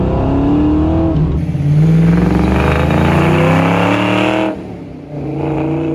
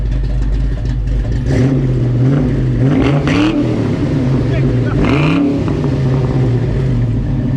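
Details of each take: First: Ford Fox Body Mustang convertible with swapped 306 engine, first drive under load: engine pulls hard and climbs, then falls flat above about 4,500 rpm; high-rpm power loss, with the chip seeming better. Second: Fox-body Mustang convertible with a swapped 306 V8, idle after the timing was set to 10 degrees with 40 psi fuel pressure; the timing problem was traced to the TFI module and the TPS was replaced. Deep, steady burble, clean blips, smooth idle.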